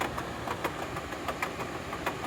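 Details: Royal Sovereign 14000 BTU portable air conditioner running with continuous sharp, uneven banging knocks about five a second over its steady hum; unit visibly moves, a new noise after a previous one stopped.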